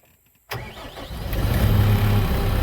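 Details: New Holland L223 skid steer (around 2015) after replacing the bad starter/ignition relay that caused no-start no-crank: quiet, then engine catches at once and settles into a smooth steady low rumble; clean start and healthy idle.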